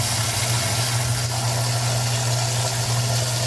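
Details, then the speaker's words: Older washing machine, over 10 years old, after replacing the water inlet valve that filled super slowly, on light load: strong, steady rush of hot, steaming water over a low, even valve hum with no sputter; hot fill now much better, normal. "Much better for the hot. And it is hot. It is steaming."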